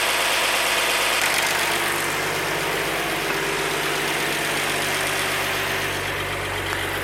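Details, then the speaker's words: 1948 Chevy 216 inline-six, first start since 1989 after valve adjustment; vacuum a little low, carburetor and intake bolts to be rechecked: steady, even idle with no misses, knocks or hunting; normal idle. "would you listen to that thing i'm a little low on vacuum so i'll have to look around and recheck my bolts on my carburetor and my intake but man she's just purring away"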